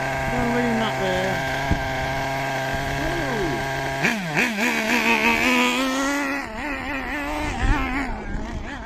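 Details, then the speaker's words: Hobao Pirate nitro RC engine after the high-speed needle was turned in half a turn (leaner): the buzzing pitch wavers, then climbs and holds higher as revs increase. Idle gap still needs adjusting. "Listen to how the revs have increased now."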